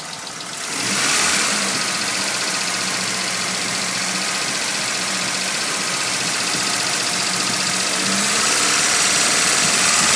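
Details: Nissan Silvia S15 SR20DET turbo petrol engine idling with a quick, fairly steady tick, about four a second, over a hissy top end.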